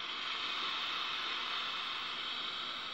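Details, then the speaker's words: Chinese-brand TV board with no antenna connected and a picture dominated by yellow/red. Audio gives only a steady, even hiss with no program sound; fault traced to an IC. "i Nah suaranya hanya desis ya jadi suaranya desis"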